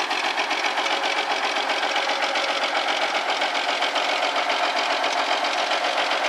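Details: Old Kenworth truck diesel, first start in five years after being parked in a field: steady even clatter about two and a half beats a second, no misses, smoking at startup; healthy idle.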